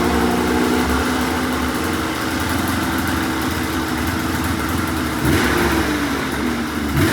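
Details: $500 2004 Polaris RMK 800 two-stroke snowmobile, first start after head reinstalled with used O-rings, cold: revs up crisply and drops back cleanly, no misses or rattles; runs well.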